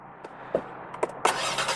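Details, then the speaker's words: 2020 Ford Explorer ST EcoBoost starting: a few clicks, then it fires and settles into a quiet, even run with light ticking from the direct injectors. A normal start. "and it's just a quiet engine and just hear it ticking away for this little EcoBoost direct injectors"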